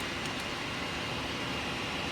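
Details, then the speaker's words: PC that will not power on or POST: fans spin with a steady, even rush and no clicks or grinding, but the board lights stay red. PSU pin voltages were checked as correct with a multimeter. Fault lies elsewhere. "And as you can see, like, my fans turn on. You can see, I don't know, you probably can't see the fans. Anyway, you can hear them. They're on. Everything's on."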